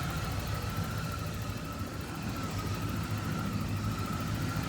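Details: 1986 Ford F150 idling after fuel tank and sending unit replacement and reservoir cleaning: soft steady low rumble with faint constant hum, no knocks; small oil leak and exhaust smoke noted, fuel system not leaking; normal idle.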